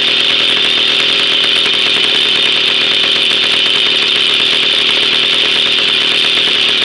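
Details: 1966 Jawa 50 type 05 two-stroke on its first start after 20 years dormant and a rebuild, with no break-in, original points ignition and coil: a loud, steady high-pitched buzz with no misses or knocks; normal running.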